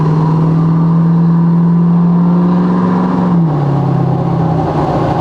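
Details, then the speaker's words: Ford 6.7L Powerstroke diesel truck after a CP4-to-S&S DCR fuel pump conversion, driven from a standstill at quarter to half throttle; it was rough before. Strong, even pull with a steady rising drone and a clean upshift, smooth and healthy, with boost and transmission fine. "It was super rough. Now, it rides like a dream from a standill. Quarter throttle, half throttle."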